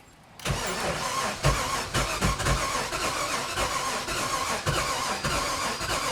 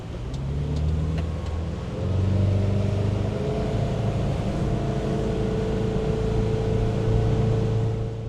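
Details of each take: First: 1996 Sea Ray 260 with carbureted big-block engine, sat for years: fast uneven starter cranking with occasional stronger pulses, never firing even on two jump packs; crank no-start, ignition timing suspected off. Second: 1996 Sea Ray 260 big-block with stock through-water exhaust, in the water, idle to full throttle: deep even V8 rumble rising smoothly, no knocks or misfires, wind hiss dominant; healthy and quiet.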